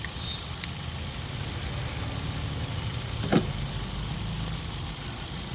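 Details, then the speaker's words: Hyundai i20 petrol with P0300/cylinder 3 misfire code, idling with the cylinder 2 injector connector unplugged: uneven, lumpy idle with irregular stumble as one cylinder drops out; engine misfires. "Number का निकालने के बाद भी ये काम कर रहा है दोस्तों। तो मिसिंग करने लगा है।"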